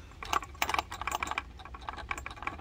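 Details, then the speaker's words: Dropped Selga 404 USSR AM medium/long-wave transistor radio, unpowered and shaken: light, irregular clattering clicks from something loose inside the case; the owner suspects a loose bar antenna. "it sounds like the bar antenna is loose inside uh this is kind of a donor i think i'm not even going to power this up i want to open it and see what's flopping around in there"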